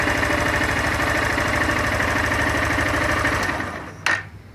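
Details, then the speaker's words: Honda Fan 160 motorcycle, only 5,000 km, in gear: fast uneven knocking clatter ~3 beats/s, louder than in neutral; strange noise also appears with the clutch pulled. Clutch assembly problem suspected, unconfirmed. "No ponto morto. E se eu engatar qualquer marcha, o barulho aumenta."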